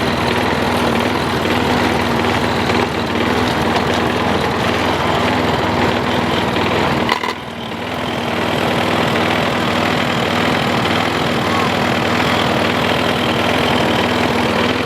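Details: Troy-Bilt Tough Cut 220 21-inch self-propelled mower, bought non-running, now running after straightening a possibly pinched fuel line. Steady drone that dips briefly under load and recovers cleanly, with no misses or surging: normal running.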